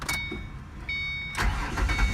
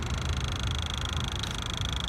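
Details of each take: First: 2006 Ford Mustang V6 4.0 with intermittent stalling/no start and no communication, after swapping in a good PCM power diode: short crank, then it catches and settles into a steady idle with chimes, confirming the PCM diode was bad. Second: 2006 Ford Mustang 4.0 V6 with intermittent stalling/no-start, key on, engine off, PCM diode replaced with AC compressor diode: steady high-pitched electrical whine over faint rumble; throttle body buzzing, thought due to missing relay, stopped once relay installed.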